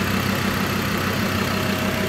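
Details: Ford Ranger diesel at idle with the engine acoustic insulation fitted: even, muffled idle with a steady rhythm and no knocks or rattles; the engine sounds healthy and quiet.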